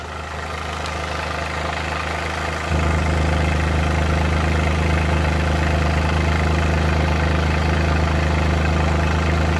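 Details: Suzuki Multicab F6A engine held just above idle, steady drone with an uneven, stumbling beat now and then: random misfire.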